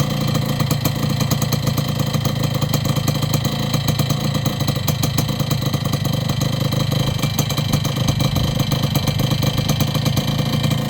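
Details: Yamaha YB100 two-stroke after fitting a new downpipe and expansion chamber: steady, even buzz holding one speed with no misses, rattles or surges; engine runs clean and healthy.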